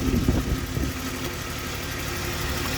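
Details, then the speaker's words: Jaguar XJ40 XJ6 4.0 Sovereign idling with a few uneven thumps, then a lumpy beat; one cylinder misfiring, likely after rainwater mixed with oil filled its spark plug well while the bonnet was left up. Normally runs super smooth. "can sort of hear the misfire now, the exhaust. You can see the engine. This engine runs super smooth normally."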